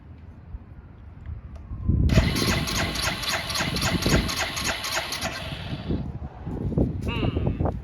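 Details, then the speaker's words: 2005 Suzuki GZ250, 950 miles, barn find with a vacuum-operated fuel petcock: it catches after cranking, runs rough for about four seconds, then stumbles and dies; fuel starvation, as no fuel reaches the carburetor. "Alright, well, that's probably one of our issues."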